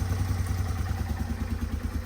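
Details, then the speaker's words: 1989 Yamaha Moto4 200 ATV, revived after sitting 15-20 years, after valve adjustment for a top-end ticking rattle; steady, even single-cylinder idle with a soft regular putter and no rattle, so the noise is gone. "so as you can tell you can't really hear that noise anymore"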